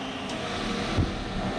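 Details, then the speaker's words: Heater/AC blower in a 1978 GMC crew cab after a dashboard rebuild, running on the AC setting; a cheap aftermarket resistor pack gives trouble at low speeds. Steady, even rush of air with no rattle or squeal; good, normal airflow. "we're going some good air through there"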